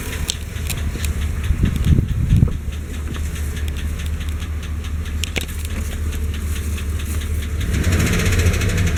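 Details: Chevy Silverado/GMC Sierra 5.3 V8 at idle: faint uneven lifter tick about twice a second over the rumble, good oil pressure; exhaust leak also present; owner suspects lifters, later solved by replacing an O-ring.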